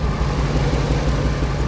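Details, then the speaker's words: 2001 Ford F250 5.4 plow truck at idle: deep stumbling idle with uneven popping beat from the exhaust; code P0305 cylinder 5 misfire, plug already replaced, ignition coil being swapped. "I've got this 2001 F250 5.4 that has a pretty bad miss. You could hear it. She's not running very happy. You can hear her popping"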